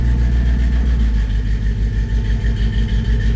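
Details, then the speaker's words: 1954 Chevy 3100 engine, cold, after refilling radiator with water and clearing code with reader: steady even idle, smooth low pulse about three beats a second, no misses; all cylinders firing, sounds much better. "Yeah. That sounds really good. I like that."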